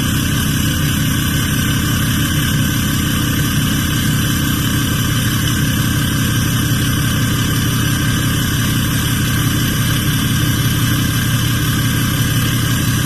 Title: @6.7lopez 2017 6.7 Dually Cummins loud high idle turbo whistle!